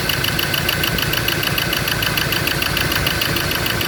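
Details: Ford Ranger diesel that would not start, now idling: shaking, lumpy idle with hard uneven knock about three beats a second, firing only on cylinders three and four; one and two get no electrical pulse, wiring fault suspected.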